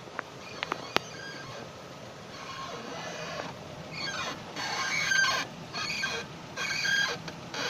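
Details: Datsun on-Do: short creaky squeaks in bursts about a second apart as the car rocks; suspension ball joint squeak.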